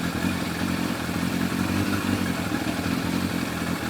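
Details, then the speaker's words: Yamaha FZR1000 four-cylinder with rebuilt carburetors after Digi Sync balancing: even smooth idle with a steady burble, no misses or hunting; readings 58–60, carbs balanced with slight variation. "So they're perfect. They're spot on. They're pretty good. There's a bit of variation in it, but you've got to expect that."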